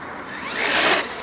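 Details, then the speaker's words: Traxxas X-Maxx RC truck after jumps and landing in snow-melt water: a short electric whir with a fluttery edge under throttle, as the wet slipper clutch slips. "that flutter in that slipper clutch is wet so we'll quit jumping them"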